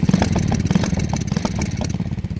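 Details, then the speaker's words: Lifan clone single-cylinder mini bike (300 4v / 250 build), hard to start that day and kick-started: it idles with an uneven stumbling beat, missing and popping, a single-cylinder misfire spitting flames. "and now wants the misfire yeah it does this sometimes if you've never heard a single cylinder misfire that's what it sounds like I'm I'm spitting Flames too"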